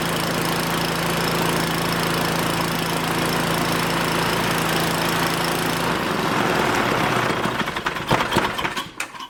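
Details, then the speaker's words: 5hp wood-splitter engine that wouldn't fire, fixed by reattaching fallen-off carb linkage: even single-cylinder chug at steady speed, then shuts off and clatters to a stop; runs smoothly, no misfire. "So the linkage on the bottom of this carb fell off. And as soon as I put it on there, she fired off. So that's all that it was. Awesome. Sounds like it's running good too."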